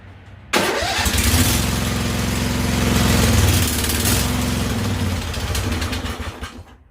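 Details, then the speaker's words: Husqvarna YTH2148 lawn tractor, Briggs & Stratton Vanguard V-twin, after carburetor work: catches and runs with uneven, lopsided beat and lumpy idle, on and off one cylinder; one side not firing consistently. "she's not happy she's kind of on and off one cylinder and carburetor huh that's kind of weird because it's like looked pretty good when I was done with it"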